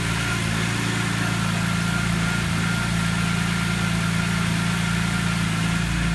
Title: Rough Idle First 90-120 seconds after start